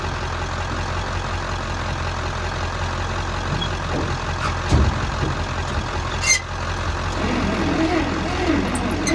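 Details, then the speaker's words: Bantam truck crane long abandoned in a quarry, on jumper cables: long steady starter drone with brief catches that never pick up despite choke, throttle and carb cleaner; cranks but won't start, cause unconfirmed. "So freaking close to lighting off. You can hear, but it just doesn't want to go no matter what I do with the choke, throttle, carb cleaner, hand choking it."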